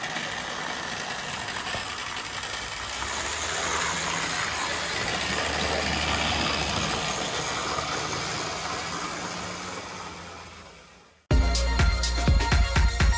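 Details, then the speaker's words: Older Bachmann GP40 model locomotive, CP Rail: steady harsh whirring rattle, far louder than normal, swelling slightly as speed builds; noisy drivetrain, owner hopes no cracked gears, suspects it needs lubrication and cleaning. "so apart from the horrific noise this actually runs quite nice I really hope it's not get any cracked gears and it just needs a bit of living and a lot of cleaning"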